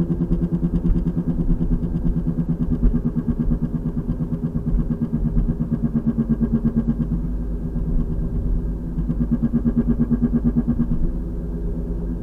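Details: 2003 VW Passat FWD, 180,000 miles: a low thump about three times a second under road rumble that paces with wheel speed and changes with slight steering left or right. Torn passenger CV boot. Source unconfirmed, and it has worsened over 2–3 weeks.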